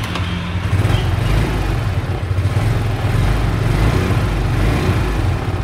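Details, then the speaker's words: 2008 Suzuki 2JT scooter, carburetted (pre-FI), started up for listening: low, smooth burble at idle with no ticking, misfire or rattle; engine idles quietly and evenly, called the smoothest engine. "Máy êm nhất. Dạ. Để đề cho anh em nghe ha. Máy của Suzuki đây, 2JT."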